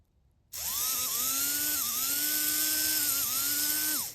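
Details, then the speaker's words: HO scale brass Union Pacific FEF-3 4-8-4 #840 model locomotive held by hand on plastic: high thin whine sags and recovers repeatedly, motor labouring and not holding speed; owner suspects it needs cleaning, especially the wheels. "hand's actually slipping when I hold plastic it's like it wants to run but it's like"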